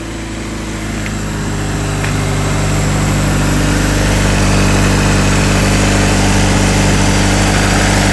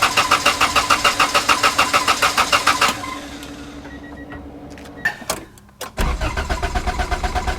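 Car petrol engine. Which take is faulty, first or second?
second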